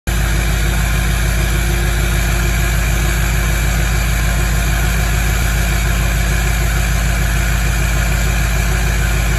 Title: LML Duramax first start in a month high idle with 68mm VGT Turbo 9 degrees